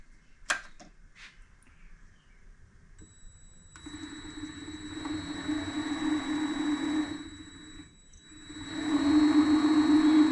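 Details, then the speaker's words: Vevor MX400 mini lathe headstock spun up with the belt taken off: motor hum with a gritty grinding rasp and a faint whistle that swells with speed, less bad after it sits. Owner suspects bad 608Z idler pulley bearings; gear noise is also part of the problem. "after it sits it's not so bad but you can hear it kind of grinding I think these bearings are bad so that's what we're going to dive into"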